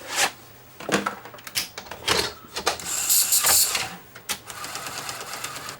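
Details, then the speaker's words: Sony SL-HF500 Betamax, 711B chassis, after fixing loading fault and refitting toothed belt: small motor whirs with gear clicks and ratcheting as cassette threads in; slightly slow but load completes normally. "a little bit slow but it got the job done"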